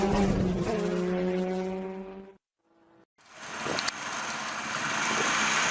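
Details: Hero Splendor Plus single-cylinder idle with light metallic kit-kit chatter following engine speed; timing chain noise, fixed by replacing the full timing chain kit.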